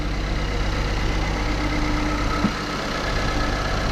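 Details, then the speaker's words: 2016 Ford Explorer Sport 3.5L EcoBoost AWD at idle during spark plug replacement: smooth, solid, even idle with a light ticking from the high-pressure fuel pump; otherwise sounds good, normal healthy engine. "Nice and smooth. Let's go out and take a look. Yep, that's what it sounds like. Sounds like an Ecoboost 3.5."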